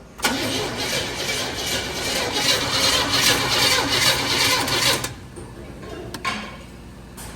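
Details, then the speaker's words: Squarebody Chevy carbureted engine: steady cranking about three beats a second for five seconds that never fires. Spark is confirmed, but no fuel reaches the carburetor because the tanks were too low on fuel. "Still no fuel up here. But it still should be firing off the fuel there. So we're back on it here, and we did figure out the fuel tanks were too low on fuel."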